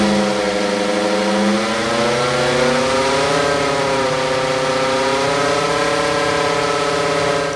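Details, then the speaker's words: 2010 BMW E91 318d driving: steady whirring that rises and falls with road speed, consistent for months; no wheel play felt, owner fairly confident it is a bad rear wheel bearing, not yet confirmed. "So fairly confident I know the source of that noise that we are experiencing, and I'm pretty certain it is the rear wheel bearing"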